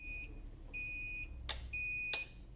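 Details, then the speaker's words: Basuki lithium UPS/inverter running on battery backup with load above its capacity: repeated short high beeps about every half second, the overload warning also shown on the display; it clears once the load is reduced. "Output ಹೋಗ್ತಾ ಇರೋದ್ರಿಂದ ಇಲ್ಲಿ load ಜಾಸ್ತಿ ಕೊಟ್ಟಿದ್ವಿ, ಹಾಗಾಗಿ overload ಅಂತ indication ಬರ್ತಾ ಇದೆ."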